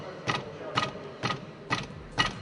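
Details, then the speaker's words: Aging VW Golf, wheel struck by fist to simulate bumps: five sharp metallic knocks about twice a second from a loose brake caliper; pressing the caliper stops the knock; tie rod also has play but isn't the cause. "оказался тормозной суппорт стоит его прижать и стук пропадает распространённая болячка у корейских машин"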